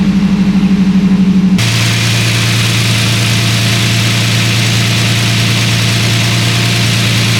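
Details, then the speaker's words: 2006 Toyota 4Runner (4th gen) first start after oil pan gasket replacement and fresh oil: short pulsing crank, then a steady, even idle with no knocks or ticks; no oil leaks or check-engine light afterward; normal start and idle. "okay we got oil within the engine now I'm going to start it up and let the oil circulate and see if we have any oil leaks"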